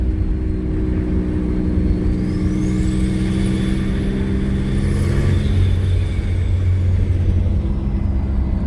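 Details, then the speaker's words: Twin turbo V6 Mustang with cheap turbos that won't spool, no blow-off valve, coupler taped after a leak, driving: turbo whistle rises and falls with throttle, fluttering on lift-off, no boost made; compressor surge. "Woo, man, you hear that compressor surge? Oh man."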